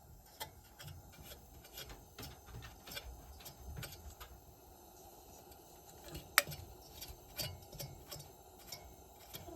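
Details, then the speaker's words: Dry irregular squeaking chirps, about three a second, from an old Burnham gas boiler burner motor that is partly locked up and spins poorly, only starting sometimes despite power applied; motor judged bad. "burner it doesn't doesn't spin very well that squeaking noise you hear that that um that's what she hears often"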